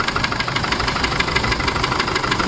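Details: Isuzu D-Max iTEQ 4JJ1 diesel right after start-up at idle: sharp rapid metallic knocking steady over diesel clatter, starts on one kick without shaking so fuel supply ruled out; loose piston in one cylinder.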